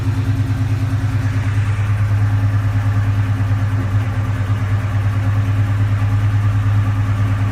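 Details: Cobra with a low, lumpy idle and an uneven pulsing beat of about three a second, loping instead of running smooth. Rough idle.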